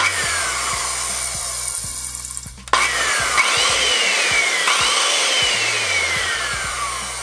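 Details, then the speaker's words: Skilsaw 574 corded circular saw after disassembly and regreasing, running unloaded: smooth high whir falling as it coasts, much quieter, far less grinding. "Way less of a grinding noise. Perfect, perfect. It's much quieter and there's far less grinding."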